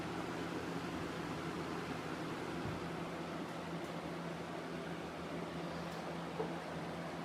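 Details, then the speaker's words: 1993-94 Galaxy box fan with a 3-speed metal Marco motor rated 2.2 A, two-piece motor mount, running on high: a smooth, even rush of air over a steady low motor hum with no rattle or wobble; powerful and well balanced. "so I'm going to start it up on high here we go it's nice and Powerful well balanced too"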